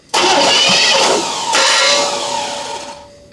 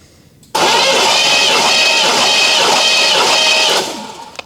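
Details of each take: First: 1983 Chevy K10 revived after 24 years, fully disassembled with many new parts: harsh metallic grinding as starter engages flywheel still spinning, key released halfway; cranking compression about 155; starter grinding against flywheel. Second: 1983 Chevrolet K10 engine, rebuilt after 24 years off road, cranking about three seconds with steady, even starter whir and airy hiss, spark plugs out for compression test (about 150), spinning freely without firing.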